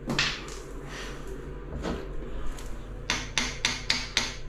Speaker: when you hear that sound it's a solid it's a solid sound